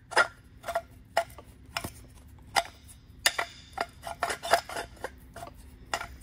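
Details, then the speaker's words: Old water pump from a Series IV Sunbeam Alpine, shaft turned by hand: irregular dry scrapes and clicks, binding at spots, because the impeller is touching the pump housing. "You hear it sounds terrible. It's actually binding up at times. Let's take this plate off and take a look in there. I'm not sure what it's getting stuck on, but at some points it was really binding up. Looks like it's actually touching the case there."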